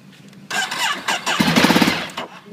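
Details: Ducati 848 after heavy rain: starter spins briefly with quick even compression pulses but engine never fires; earlier ran 5 minutes with power loss and inner exhaust glowing red, now cranks but won't start.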